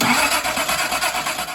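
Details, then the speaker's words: Datsun 240Z engine, sat about 24 hours, no choke cables hooked up, not terribly cold: catches at once with quick even firing pulses then dies away; starts normally. "I got it first run it actually taped the chokes open and uh that got run pretty much immediately"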